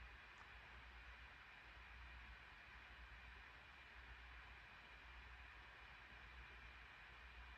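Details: 2021 MacBook Pro 14" M1 Max (32-core GPU) at 100% GPU load running a game, plugged in, drawing about 55–60 W, fan at 4700–5000 rpm, chip near 92°C: soft, steady airy whoosh with no whine, rattle or pulsing; normal fan noise under full load.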